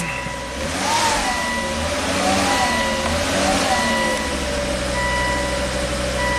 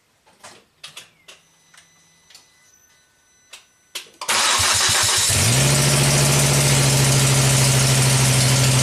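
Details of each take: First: Volvo S60 Turbo after new cylinder 1 exhaust valves and repositioned gaskets: fires and settles into steady, even idle with no exhaust puffing or ticking as the cylinder cleans out; normal smooth idle. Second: Volvo S60 Turbo after fitting two new exhaust valves on cylinder 1, fires into a harsh, very loud hissing roar at idle: exhaust manifold gaskets slipped out right under the turbo.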